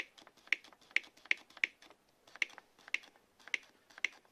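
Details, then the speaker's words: Replacement Parkside black-series cordless reciprocating saw with a fully charged 4Ah battery: the LED lights, with sharp dry clicks about once a second and no spin-up, as if it wants to start; tool fails to start, cause unknown. "Auziți păcănitul? Și evident că nici asta nu merge. No notes. Se aude, da? Ca și cum vrea să pornească."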